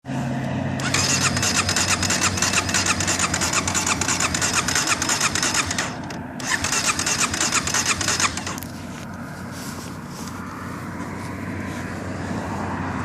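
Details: Starter spins with a fast, even chugging for several seconds, pauses, cranks again, but the engine never catches: crank, no start.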